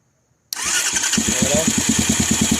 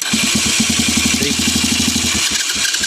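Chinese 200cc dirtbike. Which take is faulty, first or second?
second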